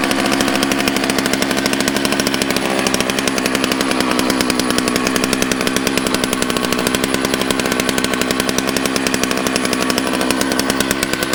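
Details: Used chainsaw that had been given away, started on fresh gas after a squirt of prime: fast, crisp, even two-stroke buzz at steady revs with no misses or sputter; running healthy.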